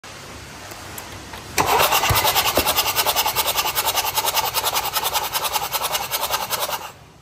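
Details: Mercedes C220 2.1 diesel OM651, 2014: the starter churns about three beats a second for five seconds with a slightly uneven rhythm but never catches. No start, with no compression on cylinder 1.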